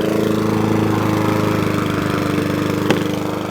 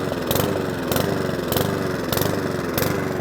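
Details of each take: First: Mountfield 414 lawnmower after carburettor cleaning: even, steady buzz with no hunting or surging, holding constant speed; normal smooth running. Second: Mountfield 414 lawnmower after fuel drained from the bottom and leak check (possibly tipped up): revs rise and fall about every half second in a repeating surge; hunting and surging from fuel starvation.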